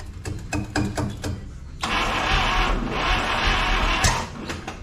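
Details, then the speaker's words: 1961 Buick LeSabre Estate Wagon 364 Nailhead V8, first start attempt in about three decades. Slow, uneven cranking at about three beats a second, then rough firing that won't catch. Timing is retarded, causing the crank-no-start. "So retarded. The timing is retarded."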